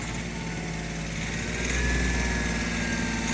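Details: Hyundai Grand i10 / Xcent under light throttle: steady tak-tak tapping about four per second from the engine, with heavy white smoke and RPM hanging near 2500 on acceleration; knocking injector.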